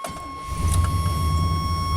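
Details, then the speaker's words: 1988 Chevy K1500 starting after repair for an intermittent fault, wet from rain, air cleaner on, before the scope-monitored test drive. Starter catches almost instantly and the engine settles into a steady low rumble; starts immediately and idles smoothly. "Instant. Oh, that's smooth."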